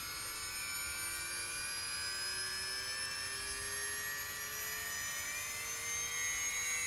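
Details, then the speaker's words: LOSI 1/4 Promoto-MX motorcycle RTR, stabilizing flywheel switched on: thin high multi-tone whine climbing slowly and smoothly, about 10–20 seconds to reach speed then evening out; normal spin-up, no rubbing or grinding. "flywheel and it's still going maybe it takes about 10 15 maybe 20 seconds to get up to speed but then you can tell it sort of evens out"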